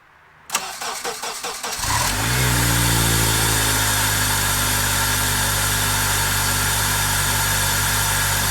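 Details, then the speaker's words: Honda Accord after fitting an Acura TSX RBB intake manifold and cleaning the mating surfaces: brief cranking, then a smooth even idle with no hiss or whistle; car seemingly running healthier; normal start and idle. "right with the accord seemingly running healthier we're gonna go see if uh it does anything better"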